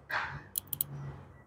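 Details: Perodua Axia whose air conditioning won't cool, engine off, mic placed at the compressor relay (terminals 85/86/87/30): a few sharp relay clicks but nothing engages afterward. Faulty relay that clicks but whose contacts don't close.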